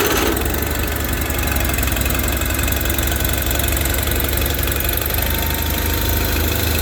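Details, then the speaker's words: Customer's tractor with 15-40 Rotella diesel oil, 10°F overnight: fires almost at once from cold with little pre-cranking, straight into a steady, even idle with no stumbling or hunting. Normal cold start. "starts no issues with the 1540 10° all night this fired right up"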